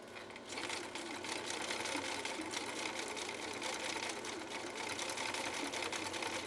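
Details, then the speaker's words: 1960s Husqvarna Viking 6440 Colormatic sewing machine after parts and adjustments, sewing zigzag with needle swing through thick genuine leather: fast even stitching clatter, steady rhythm, no knocks or binding; runs smoothly. "let's see how this 6440 handles a zigzag with needle swing going down this fairly difficult and fairly thick material of genuine alkyd"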